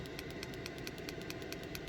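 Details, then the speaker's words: Diesel heater mounted under the bed of a Peugeot Expert campervan conversion, fan turned down by remote: steady airy fan rush easing slower, faint even pump ticking about four or five a second, pump hung on cable ties; normal running at low fan. "Yeah, it's getting quieter if you could hear me. The fan's getting slower and slower."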